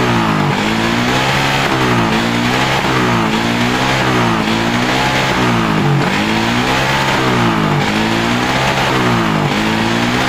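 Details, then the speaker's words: Suzuki Satria FU 150 that stuttered on throttle, after tightening a loose connector: several blips rise and fall smoothly with no stutter or misfire; normal revving, stutter fixed. "Oke untuk rebetnya hilang ya untuk penyakitnya sudah sembuh ya sudah normal tidak brebet lagi ya untuk brebet sudah sembuh ya teman-teman tidak bermasalah lagi untuk brebet-brebetnya"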